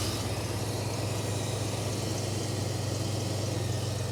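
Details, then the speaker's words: 1995 GMC, steady low idle with breathy intake vacuum hiss from retarded ignition timing, quieting as the distributor is turned toward 0°. "how much quieter that's getting now"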